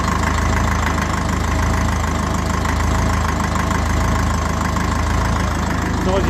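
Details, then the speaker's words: 1954 Ferguson TE20 (TEF) diesel tractor cold-started with heater plug on one of the colder days, unstarted about three weeks, heater plug rewired with heavier wire; steady, even low rumble with its usual rattly, noisy mechanical clatter: normal cold idle. "these are this engine is very rattly and noisy when it's old excuse the noise"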